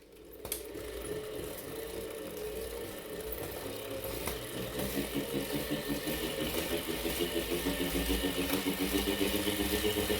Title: Wahoo kickr core - weird noise 2